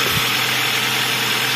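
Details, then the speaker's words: Toyota Avanza petrol engine idling, noisy in the mornings after overheating: steady even metallic clatter; earlier irregular timing-chain slap is now gone, the remaining noise suspected to be from the pistons. "ini kan bulat nih fokus sudah jelas kalau yang bunyi metal yang bunyi piston"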